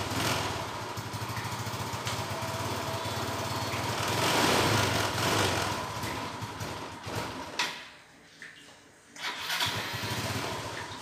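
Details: Yamaha Nouvo LC scooter that loses throttle, stalls and sometimes won't start; a dirty air filter is also suspected. The engine runs ragged, then sags and nearly dies before catching again: clogged carburetor.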